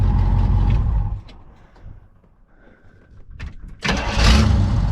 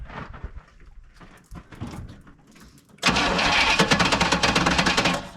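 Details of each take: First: Pontiac V8 with rebuilt Holley carburetor, after timing was set (previously very retarded): shuts off and restarts easily with strong rumble; old alternator grinding from bearing issues. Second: Pontiac with a freshly fitted rebuilt Holley 600 vacuum-secondary carb: ragged cranking, a burst that dies, then a rough run. Flooding from a new, dry float valve sticking, freed by tapping.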